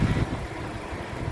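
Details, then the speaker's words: 2015 Suzuki Ertiga 1.4 GX manual, 1400 cc four-cylinder petrol, front-wheel drive, about 87,000 km: idles with a low, smooth, constant hum, minimal vibration, no knocks or ticks, normal. "Jadi ritme suara mesin yang bagus, dia suaranya masih halus, konstan, getaran mesinnya juga minim."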